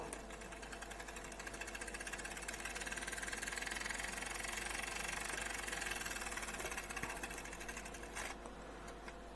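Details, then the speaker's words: Fast, even buzzing whir of a small 3-volt propeller motor on a Hachette Lancaster B III model after aligning the propeller; runs properly with no catching. "once it's all lined up it seems to be working perfectly"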